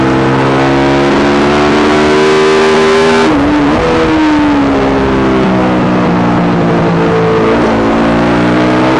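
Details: Yamaha YZ450 single in a supermono race bike revving hard on track: note stumbles and breaks up unevenly under load, worse after a couple of laps; persistent misfire unsolved despite changing carb settings, fuel tank, filter, breathers, ignition, coil, generator.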